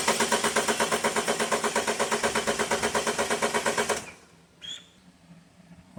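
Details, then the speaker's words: 2012 BMW 528 N20 4-cylinder with misfire codes on cylinders 1 and 3, relative compression test with injectors unplugged and coils in: even starter chug at about three pulses a second. Compression even across all cylinders, including 1 and 3. "right so it didn't sound too crazy and looks like all cylinders seem to be again relatively close to each other including cylinders one and three"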